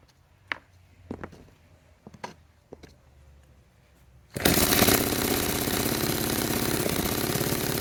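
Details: Restored 1946 Power Machinery chainsaw (Vancouver, BC) started after restoration; a few faint knocks, then it catches into a loud, rapid, buzzy two-stroke run at steady pitch: healthy and running.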